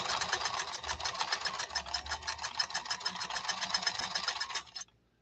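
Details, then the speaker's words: 1970s Japanese Kenmore 1231 sewing machine after workshop servicing, running a super-wide zigzag on nylon-based material: quick, even needle ticking at about two hundred stitches a minute with a light clean whir, silky smooth and healthy. "this Kenmore after it's been serviced in the workshop is such a smooth a silky smooth running machine very very nice very very very very nice"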